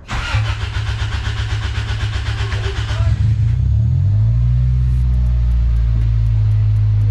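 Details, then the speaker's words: 2003 Toyota Celica GT after replacing fuel pump, strainer and pressure regulator: steady cranking about three seconds before catching and settling to even idle as released fuel line pressure rebuilds. "did you get scared at first like [ __ ] is not starting i just thought cause we released all the pressure so it needed to make its way yeah into the line"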